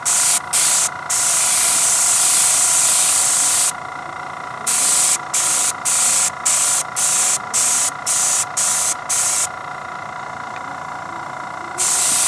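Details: Paasche airbrush on a Master Airbrush TC-40T compressor, paint thinned about 50% with water: steady airy hiss cut into short on-off bursts, about two a second, as the trigger works; spraying normally.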